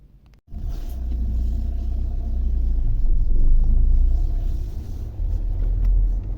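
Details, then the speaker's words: Lada Vesta, recorded from inside the cabin: road rumble with scattered sharp, unpleasant knocks from the front suspension; cause found to be worn sway bar links. "Но их слышно они такие прямо неприятные Я думал что что-то там будет даже серьёзнее"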